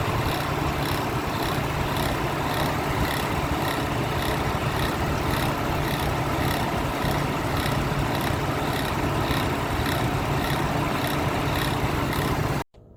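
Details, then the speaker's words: 2006 Chevy Trailblazer at a steady idle: a low drone with a fast, uneven rhythmic whirring on top that holds with the engine, caused by mechanical failure of the alternator pulley. "so the noise is the bad alternator"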